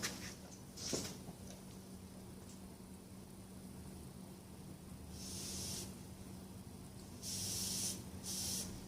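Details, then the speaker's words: Honda ATC 110 carburetor float needle valve tested by blowing air into the fuel inlet hole. Short air hisses cut off cleanly when the float lifts, so the needle is sealing; the owner suspects the float is too stiff and needs more cleaning. "So I'm going to attempt to hold a hose up to that hole, blow air in it, and see if I can, by activating this, if I can hear the fuel, well in this case air, come in and then stop when I close it."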